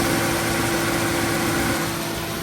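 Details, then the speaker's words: 2015 Subaru Forester A/C just after swapping the faulty relay: compressor clutch clicks on, steady idle with faint even whine from the engaged compressor, no rattle or grinding; compressor running normally. "Boom. Air conditioning. I heard it click. Let's go see if it's spinning."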